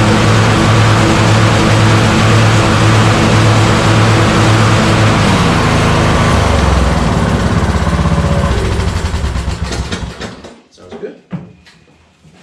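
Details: Yard Machine riding mower revived after two years sitting outdoors, with the carburetor ultrasonically cleaned a second time: steady, even single-cylinder beat with no misses or knocks until it is shut off and winds down; running healthy.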